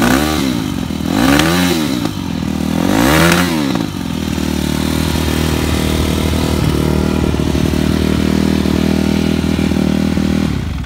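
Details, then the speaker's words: 2013 Yamaha YZ250F before teardown: two throttle blips, then a fast, slightly uneven high idle. It starts on the third or fourth kick, so valves are judged fine; owner suspects it needs carburettor tuning. "idles a bit high."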